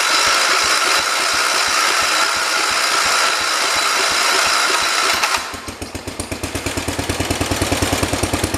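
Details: 1973 112 tractor with Kohler K301 single-cylinder, after head gasket replacement and valve adjustment: a loud start, then an even thump about three beats a second, steady and unbroken; healthy idle, better than before.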